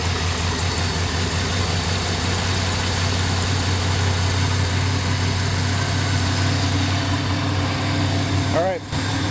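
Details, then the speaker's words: Mastercraft Prosport 205 boat engine that other marinas couldn't fix, freshly started cold after priming with fuel, water on it: smooth even low hum with no knocks or misses; normal cold idle. "it's started really well car must be doing okay we got it primed up with fuel we're going to let it run for a little bit till she comes up the temp you can see we're cold but we got the water on it"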